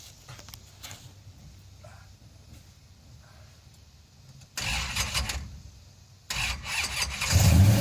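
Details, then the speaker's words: 1968 Dodge Hemi Charger V8 fired up: quiet lead-in, engine catches into a lumpy idle then a couple of strong blips; sounds healthy. "Sounds like testosterone."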